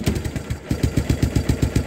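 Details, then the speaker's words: 1986 Kawasaki Bayou 300 single-cylinder running a late-80s GM HEI ignition module as substitute CDI: idles very low, about seven thumps a second, skips and stumbles on throttle since no timing advance; fix is raising carburetor idle. "all right so you can hear it starts and runs but you had to advance your timing to accelerate"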